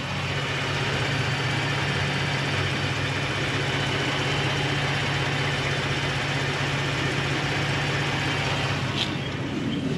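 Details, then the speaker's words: 2020 Ford Raptor ("Rusty", heavily rusted new truck) at idle: steady even hum with only a faint whine, quieter than the 802A Raptor's, and no knocking; engine sounds healthy. "but actually this engine seems to be a little bit quieter and not in any knocking as"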